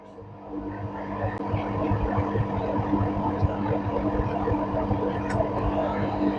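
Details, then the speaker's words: Panasonic 7 kg front-load washer after door switch replaced to fix H27 door-lock error: door locks, drum motor hums smoothly up into direct spin cycle with steady even drone, no knocking or scraping; normal spin start, problem solved. "you can see here now already start the machine that's me uh direct spin cycle"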